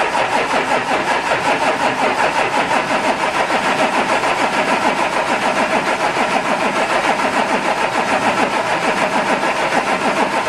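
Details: Audi A7 3.0 TDI with newly fitted brand-new engine, first turnover in neutral with a fuse pulled so no fuel, to push oil round: steady starter churn, no firing, normal cranking without fuel.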